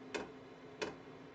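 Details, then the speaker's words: Kroak TB2 8 kW 12 V diesel heater in a case, on first startup in a basement workshop with the fuel line still filling; crisp single clicks about every two-thirds of a second over a soft fan hum: the dosing pump clicking normally. "You can now hear the pump. The clicking of the pump is clearly audible."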